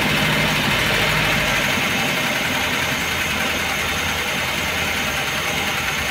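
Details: Hot carbureted engine fully warmed after sitting a day and a half, idling with a fast, fairly even light ticking knock about three or four a second; camshaft knock from heavily worn camshaft and its bearing bed, oil pressure light flickering when hot.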